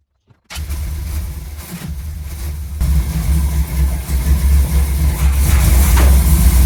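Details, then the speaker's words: Chevy C10 V8 truck just fitted with a new Maxpeedingrods Quadrajet carburetor: cranks, catches and settles into a deep, even burble that firms up slightly. Idle was turned up quite a bit and mixture set to about 15 in of vacuum. Idles well. "um and it it seems to be idling pretty good I had to turn the idle up quite a bit"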